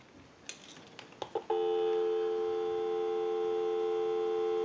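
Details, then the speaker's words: Repaired and converted single slot payphone on final checkout, heard via amplified pickup, line out with analyzer bypassed: a few clicks then a steady, unwavering dial tone; normal dial tone. "That gives us a line out, totally takes the analyzer out of the situation, and we can call a time and temp number. We'll go ahead and give you some dial tone."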